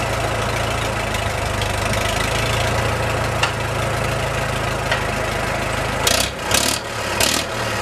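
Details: Restored early-1950s Farmall Super M tractor: an even, low chugging idle with a steady beat and no knock or stumble, plus some handling bumps near the end; the engine is running healthy.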